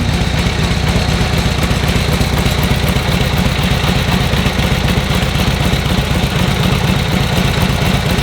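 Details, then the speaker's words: Warm V-twin idle on a revived vintage motorcycle after about 10 minutes running, with no choke or priming needed and timing and points set correctly: a settled, regular lope of about four beats a second with no misfires or hunting. Normal idle. "that's when the timing is Right points are right everything's set up so that they will sit there and do that all day that's what they do you"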